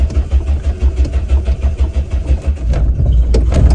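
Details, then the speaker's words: Classic Renault 5, carbureted engine, jump started with throttle pumped and more choke: uneven low chuffing about three beats a second smooths into a steady high idle on choke. Normal engine start. "Yes, there we go."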